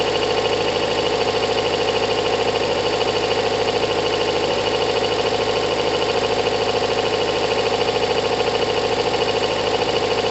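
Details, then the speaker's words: Kawasaki ZL600 motorcycle with new coils, tuned carbs, valves done; warming up, even steady idle with no ticking or tapping, owner says valves sound great, timing must be right, firing order seems okay: normal idle. "valves sound great no tapping timing must be right firing order seems okay"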